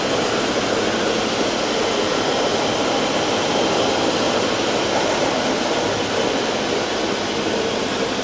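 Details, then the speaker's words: 2020 Ford Expedition 3.5 twin turbo on a test drive: a steady, harsh rushing grind from the 4WD drivetrain, with the front differential judged worse than the transfer case and transmission noises; cause not confirmed. "Front diff. That one's worse. Yeah, I hear it back here. Do you hear grinding in there?"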